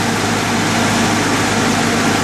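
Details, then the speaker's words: 1989 Jeep Cherokee after replacing the brake booster and vacuum system; idle sounds lower than before, smoother, engine shaking less; steady even petrol hum with no stumble, hunting or vacuum hiss: normal idle. "And it sounds a lot better. The engine's a lot smoother. You can see it's a lot, it's not shaking around as much. It just sounds better altogether."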